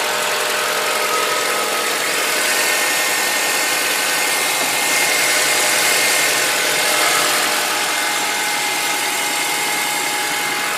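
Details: Honda Accord engine at idle: steady idle with a light, fairly regular ticking about four per second over a hissy top end; engine noise of unknown origin.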